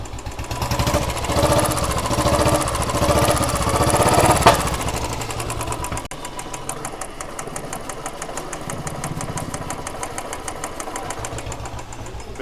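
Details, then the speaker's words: Royal Enfield Bullet/Classic 350 single-cylinder at idle after a cylinder head rework (loose valve guides, worn valves found); a slow, even thump with a light patter and the earlier tick-tick noise gone: normal idle. "पर इसकी जो टिक टिक टिक टिक की आवाज आती है वो नहीं है"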